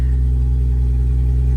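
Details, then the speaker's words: Lexus IS300 with budget turbo 2JZ, first start after rebuild following a blown engine: low, even rumble with a steady beat, no knocks, ticks or misses, oil pressure light off; smooth normal idle. "she's alive baby that's what i'm talking about wow that sounds so good way better way better it sounds way happier dude so smooth"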